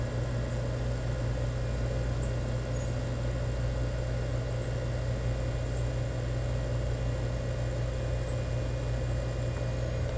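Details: Newly installed Rheem EcoNet 3-stage inverter outdoor unit ramping to high stage, indoor fan already at high stage: smooth low steady hum with faint electronic inverter whine, gradually speeding up; normal compressor ramp-up.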